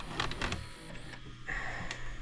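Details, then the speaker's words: Cheap late-model DVD/VCR combo from Goodwill with a burner tape: short whirring motor bursts and clicks that start and stop without threading the tape. The tape loading arm is stuck. "It's this arm right here that's our problem. It's this guy right here. Why are you messed up?"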